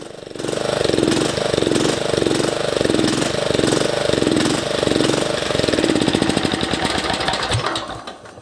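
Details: MTD ride-on mower with the deck removed: small engine hunting up and down about once every second and a bit, rough, never settling; owner suspects the air-fuel mixture, as covering the intake smooths it.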